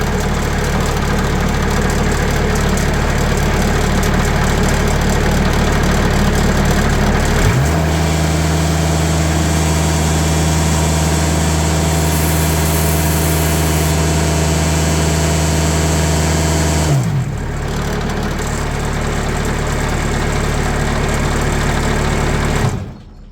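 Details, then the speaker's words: Sawmill engine, recorded before noise-dampening material is added to its doors, saw blade tensioned to about 500 psi, revved from idle to a steady higher speed: a buzzy metallic rattle from sheet metal panels, then it drops back and shuts off. "Let's crank this thing up. You can hear the rattle, and you can see the rattle right here. So you can kind of hear everything."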